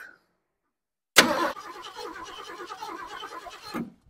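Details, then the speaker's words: 1972 Ford Ranchero, after attempting a distributor patch with points: starter spins quickly and evenly for about two and a half seconds without catching, apparently no spark. The distributor base plate floats and the shaft is faulty, and a new distributor may be needed. "the base plate on the distributor is wonky and it's moving so basically when you set the points as soon as you start the base plate floats around"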